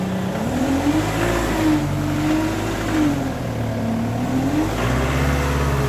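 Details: Ford Mondeo engine running with a droning whine that wavers up and down as revs shift, from a faulty power steering pump.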